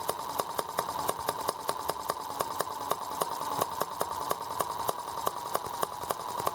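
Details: R18 model engine, first start after fitting a warranty replacement Hall sensor harness: sharp, fairly even ticks about 200 a minute over a thin buzzing run; runs rough and rocks hard, ignition now working, cause unclear.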